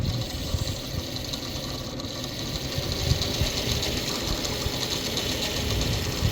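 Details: Asus STRIX GTX 970 graphics card, rear fan spinning: constant gritty rattling grind over steady whir; noise stops when fan is pressed down, not cable contact; cause suspected, unconfirmed.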